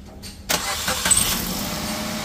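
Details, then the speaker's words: Maruti Suzuki Wagon R petrol, after fixing months-long cold long-cranking start problem, cold start after sitting six days: starter catches at once and settles into a steady even idle within a second; normal prompt start. "बिल्कुल starting okay हो गया कोई confusion नहीं होना चाहिए"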